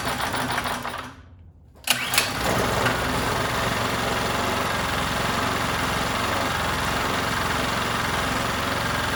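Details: 79cc bicycle-kit engine, bench-run after fitting a muffler and air cleaner: after a short pull it settles into a fast, steady buzz that won't climb; the upgrades didn't help, and owner plans to remove the governor.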